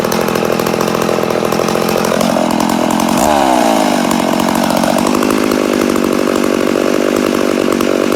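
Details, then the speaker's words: Rebuilt McCulloch Super Pro 80 chainsaw on its first start after the rebuild buzzes at high revs, stepping up and down without settling; it has compression but sounds lean, and the owner suspects an air leak. "a sounds like we got air leak definitely sounds like she got an air leak but she does sound good yeah I'd say we have an air leak somewhere"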